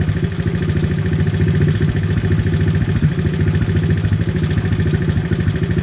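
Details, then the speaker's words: 1970 Honda CT70 Trail 70 first start after piston, top end and timing chain rebuild and a carb adjustment: steady even single-cylinder idle, no misses or rattles, no smoke, no leaks, running healthy. "sounded pretty good no smoke awesome awesome no leaks turn the gas back off"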